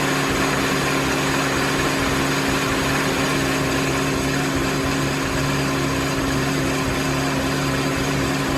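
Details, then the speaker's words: Mini after head gasket and timing chain reassembly, first start with fresh oil after coolant contamination: started a little rough, now a steady even hum with no knocks or misses, running normally. "so well it's a good news bad news kind of situation good news is starch runs runs great just like it did when i shut it off"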